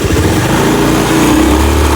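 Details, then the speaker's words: Honda BeAT FI scooter road test after replacing CVT pulley and rear clutch plates for a rumble under acceleration: short pull, engine note climbs steadily with no rattle, rumble or grinding; noise gone. "Ini adalah video hasil perbaikan, hasil penggantian piring Pak CVT dan piring kulit belakang. Ini noise tidak ada, sudah hilang."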